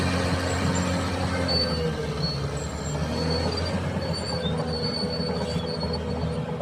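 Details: Cat dozer tracks moving: high wavering metallic squeals over low steady engine drone; owner attributes it to damaged idler and rollers needing undercarriage job.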